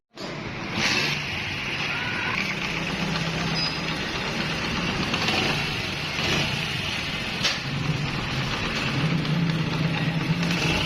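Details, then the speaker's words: 70cc motorcycle engine after replacing the timing chain tensioner rod and tightening its nut, instead of replacing the chain: steady, even idle, now quiet with no timing chain rattle or top-end clatter. "आपने देखा इस engine की पहले वाली आवाज़ भी आपने सुनी अभी की आवाज़ भी आप सन रहे हैं इंजन बिल्कुल खामोश हो चुका है"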